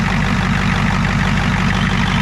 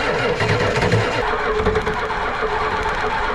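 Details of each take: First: Ford 7.3 IDI diesel on revival, warm, running after restart without starting fluid: deep even clatter at a steady low idle with no misses or surging, noticeable blow-by; engine runs smoothly. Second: Ford 7.3 IDI diesel cranked to bleed the injectors: slow, uneven cranking that sags and never catches because the single battery is nearly dead; a second battery is then added.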